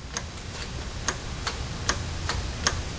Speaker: 11 is the Riser speed hydraulic valve that's basically the brake valve that's the one that we were talking about in the previous video